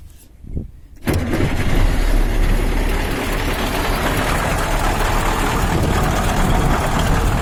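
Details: KAMAZ diesel on first start after a knock repair involving a scored cylinder liner, piston, connecting rod and pin; it cranks briefly and settles into a steady, even idle with no knock.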